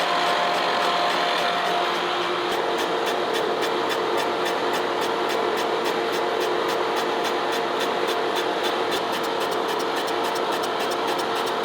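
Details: Boring the worn, out-of-round cylinder of a 1917 A.D. Baker steam traction engine on a Lucas horizontal boring mill with a Chandler Duplex boring head: sharp regular ticks, about 3–4 per second, over the mill hum as the cutter hits two spots.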